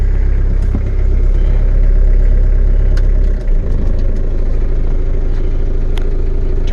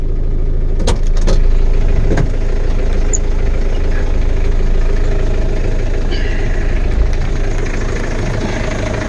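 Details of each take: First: Diesel truck just started cold, with the manual throttle pulled for cold starting: a deep, heavy diesel fast idle that drops partway through as the hand throttle is pushed in. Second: Diesel truck, started cold, now at settled idle after the manual cold-start throttle was pushed back in: an even, rapid diesel clatter with no misses or heavy knocks. A normal, healthy diesel idle.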